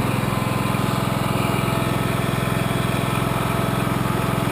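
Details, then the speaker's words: Small twin engine, cold start with choke in snowy weather, after cleaning carbon-fouled forward-cylinder spark plug: even, steady low beat, three or four pulses a second, no skips; misfire cured, running smoothly. "yeah had to use a choke there it's kind of cold out you can see the snowflakes that sounds great that worked really well"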